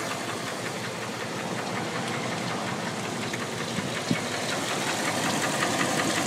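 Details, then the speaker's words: 2000 Dodge Ram 1500 Sport 4x4 with dual exhaust, about 206k on the odometer: a light, steady tick over an even idle, about three per second, coming from one side; a mechanic thinks piston slap rather than a knock, not confirmed. "But let me start it up. Not sure if it's going to pick up the sound, but it has a little bit of a tick."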